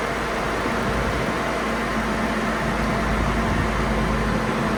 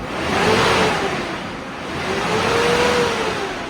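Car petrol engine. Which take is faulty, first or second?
second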